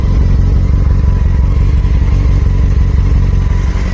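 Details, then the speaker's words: 2007 Honda Hornet 600 four-cylinder after synchronization and fixing a leaking vacuum hose (cylinder 1 was dropping, false air entry): steady idle with deep, even exhaust pulse, no misfire or stumble; now responding better. "melhor agora respondendo melhor Mangueiras né Qualquer entrada de ar falso aqui da B.O na moto"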